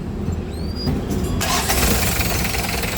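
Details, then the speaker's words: Hyundai H1 diesel after starter motor repair (engine had been hard to start when warm, driver first blamed the alternator): brief crank, prompt firing into steady clatter; normal starter crank and start. "Hindi na mahirapang pag-antar pag mainit ang makina."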